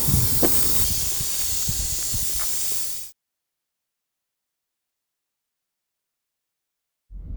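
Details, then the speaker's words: Overheating Chrysler 300, hot engine, cooling system bleed screw opened after earlier bleeding: steady loud hiss of escaping steam about three seconds, then cuts off; owner believes air in system, water pump suspected as root problem. "And the fact that all of this steam is coming out means there's just air in the system. You can see that letting out a lot of hot air."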